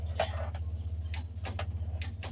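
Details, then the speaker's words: Car that starts hard when hot, after a long drive: several sharp starter clicks over a faint hum with no cranking, until the contact connects and it starts. Fault at the starter relay contacts and corroded cables. "jadi kasusnya cetik-cetik cetik-cetik tapi enggak bisa dia cetekcetek saat dia ceteknya nyambung nyaut itu dia langsung menyala"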